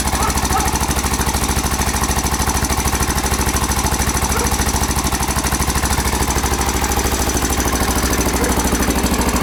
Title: Honda XR 600 R 1992 timing chain noise